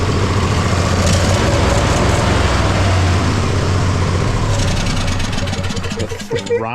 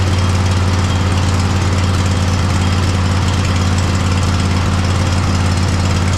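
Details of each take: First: Poulan mud mower V-twin, misfire fixed after a slipping torque bit had left a fastener loose and it was properly tightened: even, steady idle, clean quick rise in pitch on throttle with no stumbling; better throttle response, starts instantly. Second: Poulan mud mower V-twin after plugs reconnected during service: low chugging idle with an uneven, stumbling beat about twice a second, still misfiring; fuel/air issue suspected, as happened last year, carburetor to be removed.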